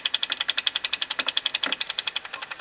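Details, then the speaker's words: GE-rebrand boombox made early 1996, cassette playing: fast even high-pitched ticking about nine per second; suspected weak spring not pulling into gear and loose belt causing slip, not confirmed; cassette mechanism slipping noise. "yeah it's not pulling this hard enough into the um gear and it's causing it to slip a bit"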